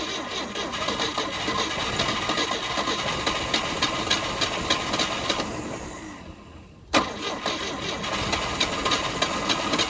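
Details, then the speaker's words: 1971 Volvo 142 with a B20B, one owner, in a revival attempt: the starter spins steadily, pauses with a click, then cranks again without catching; there is spark from the substituted Pertronix Flamethrower coil but fuel starvation, so a temporary boat tank is planned. "all right well we definitely got spark we just don't have fuel now"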